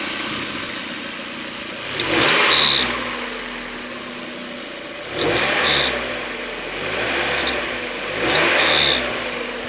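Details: 1994 Mazda Miata M Edition, 130,000 miles, leaks oil at rear main seal: whirring, rotating noise each time revs fall after throttle blips, seeming to come from back of intake side of head; owner doubts the CAS, source unknown.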